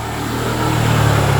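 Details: Yamaha Mio i 125 scooter idles with a steady low hum that firms up slightly, even and healthy, after fixing a no-start traced to a faulty spark plug cap and cleaning the throttle body.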